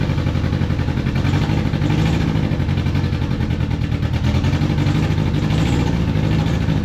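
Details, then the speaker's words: Old Honda Accord after new fuel tank, pump and tune-up following ethanol gunk: catches, runs lumpy and misfiring a few seconds, then dies and won't restart; loose spark plugs found; rough running then stalling. "Well, it started. Well, it ran for a second like absolute crap, but it ran."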